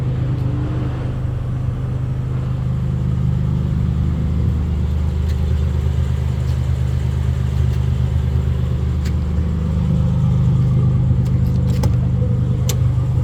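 V6 idling with an uneven, stumbling low rumble and a beat that keeps dropping out, the loping rhythm of a misfire.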